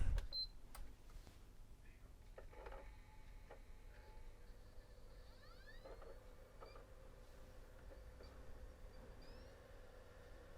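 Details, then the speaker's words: Returned PS4 with Blue Light of Death, worked two weeks after sale, not previously opened, powered on with a Black Ops Cold War disc inside. Faint whirr rising in pitch in sweeps as the disc spins up. Pulsing blue light follows, and it won't shut down. "I think he's left a disc in there, I can hear the disc spinning up."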